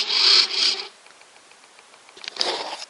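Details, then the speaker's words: Super Cub RC plane with ACT anti-crash stabilisation switched on, silent with it off. Quick high-pitched bursts of servo buzzing over near silence as the stabiliser keeps nudging the servos: servo ticking. "Can you hear that ticking away? There you go. Just keeps ticking and ticking and ticking, and it gets very irritating."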